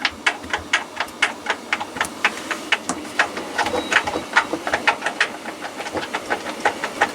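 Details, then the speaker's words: Hoover washing machine drum being tested. A quick, fairly even train of light rattling ticks, several per second, as the drum moves; not as bad as expected. Bearings and spider suspected. Drum rattle. "this is not too bad was expecting worse there's a bit of a rattle there can you hear that"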